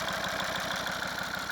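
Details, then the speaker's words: Volvo V50 D5 diesel with 142,000 miles, warm idle after a test drive following EGR valve and pipework cleaning: a steady, quick, low "tugboat" pulse under the clatter. Owner blames rattly lifters, thinks it's okay and plans to do them later. "We'll get a bit of this tugboat sound, but yeah, the lifters are rattly. I think it's okay."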